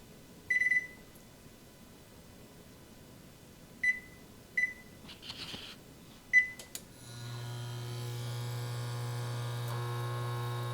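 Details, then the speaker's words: Frigidaire Gallery FGIH3047VFB induction range, about two years old, recorded on camera mic: a few panel beeps, then a steady low electrical buzz with thin whine from every induction coil, not just one. "so this is from the camera you can hear that buzzing and you can hear that buzzing you can hear that buzzing from every single one of the coils so it's not just one coil that's loud"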